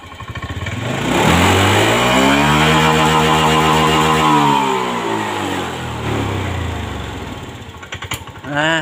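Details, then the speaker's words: 2022 Honda Scoopy scooter that smokes white, uses oil and won't idle: revs up, holds, then sags and sputters unevenly, cutting out under throttle; mechanic points to the fuel pump, not confirmed. "nah seperti ini pegangin yang RPM 60 putus ngedown tiba-tiba mati itu di bagian fuel pump sini ya"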